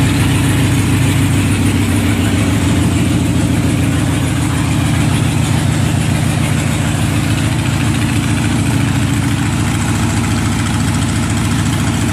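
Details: 2001 Harley-Davidson Sportster 1200 Custom V-twin just after a primed cold start: a steady, low lumpy potato beat of about three and a half pulses a second. Normal cold idle.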